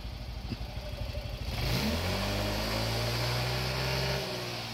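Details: Yamaha Mio i 125 (M3) scooter after a top overhaul with the cylinder head thread retread to oversize, started with the brake held. It settles, then revs cleanly to a steady higher pitch with no knocks or rattles. Normal revving, healthy engine.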